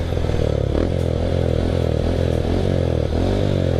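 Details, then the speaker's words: Honda Astrea Grand small single fitted with a reamed Karisma carburettor, 52 mm piston, stock cam and stock final gear, revved on test: even firing that swells and settles with the throttle, no knocks or rattles; engine runs smooth and clean. "Tampilan standar, tapi kalau digas yo alhamdulillah lancar gitu guys. Mau lari tak cobain gas-gaskan."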